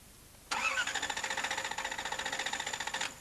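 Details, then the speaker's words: Toyota TCCS engine cranking for a spark test: steady fast cranking for about 2.5 seconds without firing. ECU power and ground check OK, but neither the right nor left ignition coil sparks, and the IGT1 and IGT2 signals read zero volts. "Neither the right nor left ignition coil sparks. Let's check whether the ECU is outputting an IGT signal."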